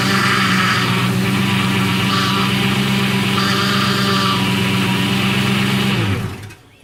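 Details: 2004 Ford Mustang Convertible with a leak near the front driver-side wheel: steady whine over the idling engine for about six seconds at start-up; owner suspects power steering, stop leak added.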